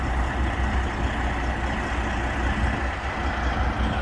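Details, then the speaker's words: Freightliner heavy diesel truck prepared for 50-tonne loads, after repair work including new differentials and clutch, idles with a steady, even low rumble. No knocks or misses; it sounds clean and healthy and runs very cleanly. "он очень чисто работает очень"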